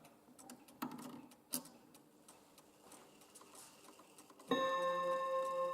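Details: 1930s chiming mantle clock after its exploded chime mechanism was replaced with a repaired second movement and the hammers adjusted: soft irregular ticks, then clean, ringing chime notes sustaining evenly with no buzz or rattle; chime working.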